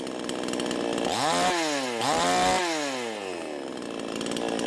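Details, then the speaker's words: V Pro 5200 two-stroke chainsaw run after magnesium shavings were left in the crankcase, air filter back on: revs up and drops back twice with a clean steady buzz following the throttle; runs smoothly and strongly before dyno test. "all right here we go if it fires up here and runs we'll put down the dyno see if it lost any power or if it keeps running under a load choke hey it fires"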